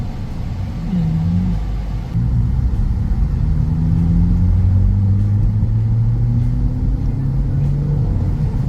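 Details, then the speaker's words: Honda Civic FB, lowered, test-driven after replacing worn suspension parts including a torn rear boot: even tyre and engine rumble over bumps with no clunks or knocks from the rear, suspension now quiet though slightly stiff. "อืเงียบเงียบอันนี้คือเงียบกิ๊บใช่"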